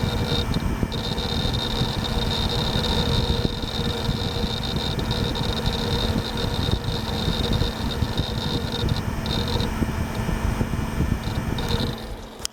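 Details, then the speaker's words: Gateway LP Mini Tower KAD K7-700 PC with AMD Athlon 700 MHz: constant fan hum with steady high hard-drive whine and light seek chatter until shutdown; healthy drive, normal running. "I just love the sound that that hard drive makes. Can't even tell you."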